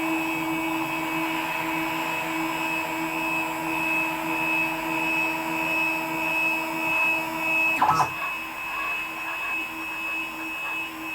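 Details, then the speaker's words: WorkBee CNC router with upgraded TB6600 4-axis parallel-port driver board under Mach3, machine home pressed, axes creeping slowly, then a click and stop at limit switch; Mach3 reads 0,0,0. Steady high stepper whine; normal homing cycle. "but if i um if i press the machine home button might take away i don't get the machine moving too fast"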